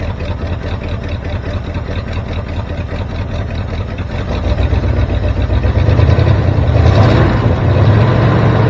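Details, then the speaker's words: 1973 Ford F350 dump truck V8 (76 cab, 79 front) idling: deep, slow, slightly uneven idle loping near stalling; idle set too low, choke wired open, vacuum leak suspected. "sounds like you got the idle set a little low so maybe we'll fle with that"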